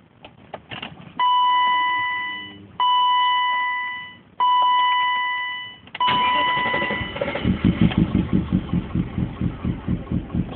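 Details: BMW E34, rough idle began days after replacing intake manifold gaskets and throttle body gasket/o-ring; knocking from driver's side; cranks, catches, lumpy idle with loping knock; owner suspects debris in cylinder or gummed plugs — rough idle with knocking.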